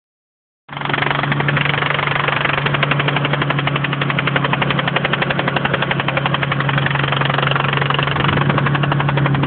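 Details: 1992 VR4 running on the highway with oil full: a steady, fast knock, about four beats a second, over a low hum. It began after the car was driven a little hard.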